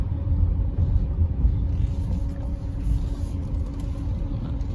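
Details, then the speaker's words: Peugeot 408 after tune-up and brake replacement, on a steep downhill test: only steady road rumble and tire noise, no squeal or grinding; brakes quiet. "Di turunan yang cukup curam ya, remnya alhamdulillah nggak ada yang bunyi gitu."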